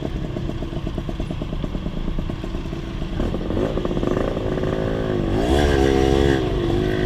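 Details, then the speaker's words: Rebuilt Honda LS125 two-stroke on a ride: crisp crackle at low revs turns ragged through the mid-range, then clears at high revs. Carburetion and gear ratio are suspected, not confirmed. "when I open the throttle, so the low RPM or low speed it's okay, high speed is okay as well, but there is a problem the mid-range."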